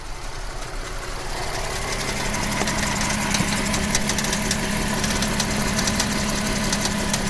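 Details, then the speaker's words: VW Atlas idling while the wheel turns lock to lock: creaking, knock-like groan from the electromechanical steering rack underneath, not the strut bearings. Cause is excess tension between servo motor and steering gear, addressed by TSB 48-20-01 re-torque. "definitely the rack. For sure the rack. It's coming from the subframe."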